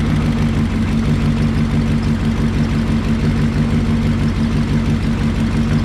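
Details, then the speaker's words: 1968 Lincoln Continental 462 V8 idling after an oil change to Rotella diesel oil to cure a valve tick: smooth, even low idle with a steady beat and no lifter ticking, much quieter. "i hate myself it's a lot quieter"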